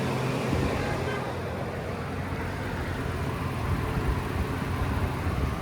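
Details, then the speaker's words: Ford lifted pickup petrol engine idling while warming up: steady, deep rumble with no ticking or knocking, though these trucks are known for cold-start and warm-up ticks. "As you'll hear on this particular one, no crazy ticky-ticky, knocky-knocky noises in the motor."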